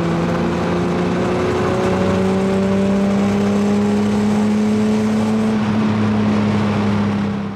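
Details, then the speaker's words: 1978 Datsun 280Z six-cylinder after fuel injector replacement and a valve lash adjustment the previous year: runs steadily with a light, fairly quick ticking rattle under its hum; cause unknown, owner hopes it is not rod knock. "i'm really hoping that it's not some bad rod knock so maybe you guys can help me diagnose that"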